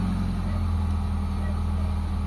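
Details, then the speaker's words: Mitsubishi Lancer GLXi 4G92, manual, with a complaint of idle dropping and stalling in traffic, at cold start after cleaning: a steady even low idle hum that rises while the steering wheel is turned. The idle-up servo (ISC) is working properly. "Habang nililiko natin manibela, tumataas yung idle mga boss. So ibig sabihin goods na goods yung ano natin, yung serbo natin mga boss."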